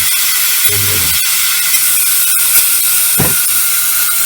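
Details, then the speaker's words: Snowpeak AP 900 air rifle purged through a partly undone screw during hammer spring and regulator adjustment: a loud, steady high-pitched hiss with no pulses as compressed air rushes out, a normal deliberate venting. "So what we'll do, we'll purge the rifle. Right, you can hear the air. That's that screw there."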